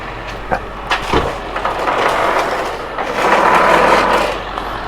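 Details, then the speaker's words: Toro commercial mower with replaced engine, after fitting a new wheel drive gear to cure a grinding noise: steady even drive noise under load, no grinding or knocking; wheel drive sounds normal, problem fixed. "that sounds normal. Real trick or a test is this. Down. Nothing. Perfect. So we have fixed that problem."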